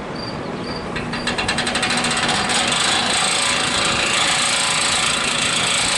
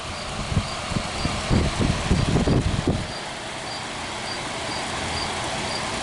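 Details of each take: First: Vintage hassock fan with new motor, first run after assembly: fast, light metallic rattle about four times a second over the whir as the motor shaft rubs the top support bracket. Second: Vintage hassock fan with new motor: a few light knocks, then a smooth, even hum with no rattle; running normally.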